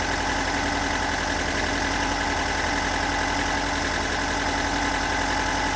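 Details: Stock unmodified bigport blue-top 4AGE in a Toyota AE86, about 195,000 km on the swapped clock, regularly maintained, warm engine: uneven rough idle with a dull fairly regular knock about three to four a second; owner cannot locate the cause.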